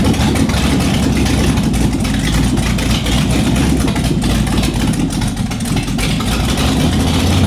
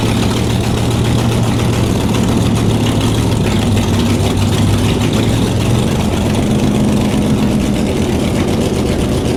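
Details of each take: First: Shelby Cobra with Ford 427, first start in nearly a decade: loud unmuffled V8 idle with a lumpy, uneven beat that won't settle. Rough idle; a major vacuum leak is suspected from the carburetors left on the intake, not confirmed. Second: Shelby Cobra 427 V8, back in the car and running for the first time in nearly a decade, on open headers with no mufflers: deep, steady burble with an even beat and no stumbling; smooth normal idle.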